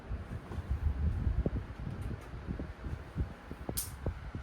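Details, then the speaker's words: 9-inch Galaxy desk fan after cleaning the blade and oiling the front bearing: steady rush of air, no squeal or rattle; now runs smoothly and powerfully. "It sounds much better, don't it? You should be able to hear the wind stream. This thing is powerful for a little 9-inch fan."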